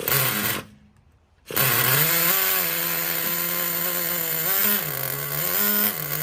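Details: 2006 Traxxas Nitro 4-Tec 3.3 (model 4809), TRX 3.3 engine after disassembly, cleaning and rebuild, warm and running with body on; high, even buzz blipping cleanly with throttle, sounds healthy.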